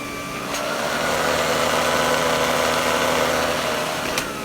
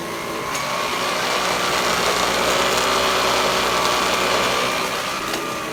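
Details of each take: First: Vintage Electrolux power nozzle after fitting a brand-new brush roll: even motor whir with a steady hum from the spinning brush and a faint trace of vibration; sounds better and runs normally. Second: Vintage Electrolux vacuum power nozzle, before the brush roll is replaced: loud steady high whir with a rough fluttering edge from the spinning head, pointing to a worn, noisy brush roll.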